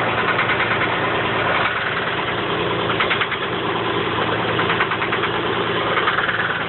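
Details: 1985 Chevy Camaro Berlinetta engine idling with an uneven, loose tapping knock that comes and goes over the running note; the knock is intermittent and its origin is unknown.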